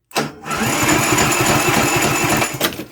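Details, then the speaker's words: Briggs & Stratton engine on a Yard King mower, starter jumper-cabled directly to the battery: brisk, even cranking with steady compression chuffs about three or four a second; the starter works fine. "yep I would say the starter works just fine perfect"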